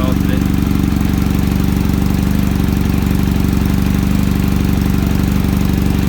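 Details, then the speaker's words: Kawasaki ZX-7R four-cylinder after carb cleaning for a faltering idle circuit, cold start: fast, even idle with steady beat, no stumbles, idle screw now working, debris in idle side suspected; normal cold idle while warming. "the idle screws working now as well there must have been some crap in the idle the side of it"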